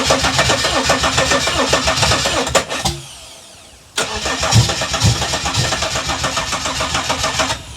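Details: Holden VS Commodore ute running without exhaust: steady fast starter churning, a pause, then more cranking with no catch into idle; cranks but won't start despite a new fuel pump and fuel reaching the filter; cause not confirmed.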